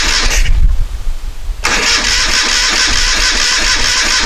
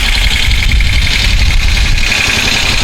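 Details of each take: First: 1973 Moto Guzzi motorcycle, first start attempt after decades off the road, carburetors cleaned and tickled: starter spins the engine steadily with even compression pulses but never catches; spark confirmed, so fuel delivery is suspected as the cause. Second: 1973 Moto Guzzi twin, first start-up after decades off the road with freshly coated tank and cleaned carburetors, after a no-fuel no-start: loud, steady low rumble with even beat, no knocks or rattles; healthy smooth idle, neutral light on.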